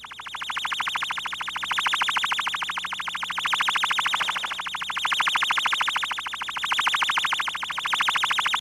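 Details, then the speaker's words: Ultraprobe 2000 ultrasonic leak detection with a warble tone generator: a rapid chirping warble, about three pulses a second, swelling and fading as ultrasound penetrates a leaking seal. "listen to the ultrasound penetrating this seal"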